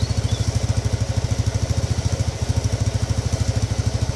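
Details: Modenas GT128 motorcycle, timing chain already replaced, restarted after new parts and fresh oil: steady, even low thump at idle with no tapping or rattle on top; engine sounds settled and healthy.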